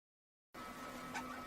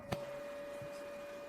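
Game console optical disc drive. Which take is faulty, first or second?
second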